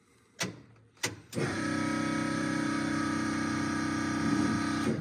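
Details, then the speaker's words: Ford Mustang with single-turbo L33 engine, first start-up: steady cranking about four beats a second with faint uneven firing, barely catching; owner says timing sounds off. "yeah it sounds like time is off it"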